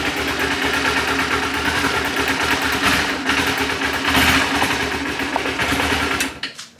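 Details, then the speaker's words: Newer Kawasaki Ninja, probably fuel-injected, on a cold start: ticks over evenly with a fast patter, then sags and chokes when throttle is opened instead of picking up. Bogging, cause unknown. "and then it kind of chokes when I give it gas"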